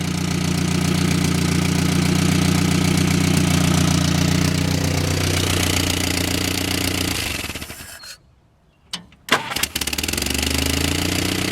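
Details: Barn-find Willys Jeep 4-cylinder of unknown year, just revived after fuel pump screws were tightened and the idle mixture adjusted, settles into an even, steady idle with regular firing and no knocks, smoking a little, then shuts off briefly and restarts cleanly.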